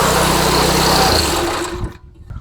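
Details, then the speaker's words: Craftsman tiller with a Tecumseh Eager-1 single-cylinder engine after repair: a fast, buzzy idle, judged by ear with no tachometer. Low speed sounds too high and is to be adjusted. High idle speed. "I can't find my T my tachometer right now but the low speed sounds a little high so I'm going to set the low speed"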